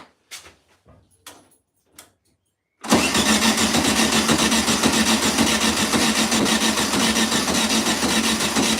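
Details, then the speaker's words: 1972 Volkswagen Beetle, first start in over two years, with fuel and brake cleaner poured into the carburetor: quiet clicks, then it abruptly barks into a loud, even, rough run; cranks and briefly fires. "right again not a big fan of doing this but I think you want to see and hear if this thing will bark off oh here goes nothing good I think that went [Music] that made the noise that made annoys that's pretty cool"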